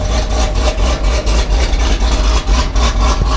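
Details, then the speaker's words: Modified 2019 Camaro SS V8 (tuned, Stage 3 cam, headers, catless X-pipe, E85, nitrous), two-step launch limiter raised from 1500 to 2500 rpm: a deep V8 held on the limiter with rapid, choppy cuts about twice a second, crisp and even. Normal operation. "I'm gonna turn that up to 2500 and we'll do a few two steps and show you guys just how that sounds"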